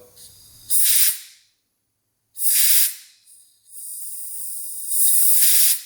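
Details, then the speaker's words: 2003 KTM SXC 625 Supermoto project bike, fuel tank cap vent check: three sharp airy hisses, the last long and steady, as the little pressure valve releases air; the cap vent is working normally. "So when it makes enough pressure, it releases air. So that looks like that's working."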